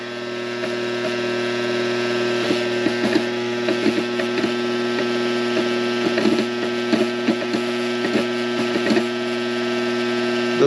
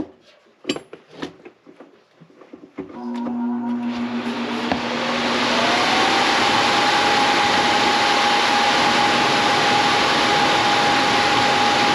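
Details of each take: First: Coleman Presidential II furnace blower motor runs with a steady hum and uneven ticks and rattles; there is a lot of slack, and the owner suspects worn bushings. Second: Coleman Presidential II furnace blower after repair (previously noisy, suspected worn bushings; fixed with spare parts): after a few clunks it spins up with a steady rising hum leveling into an even whoosh, no rattle or scrape, running healthy.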